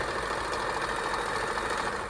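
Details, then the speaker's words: Kenmore 158.14310 all-steel sewing machine, long-stored and oxidized, after servicing of locked feeders, stitch length and stretch stitch, and oiling: even, steady whirr with no knocks or catches; runs freely like new. "it's a Kenmore 1581 14310 All Steel very precision and we worked on it and now it's just like it came out of the box listen to that just a little"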